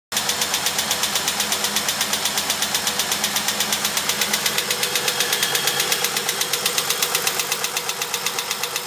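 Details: 1999 Holden VT Berlina wagon at 200,000 km, running: fast, even ticking about two to three per second, loud and steady throughout; source unidentified.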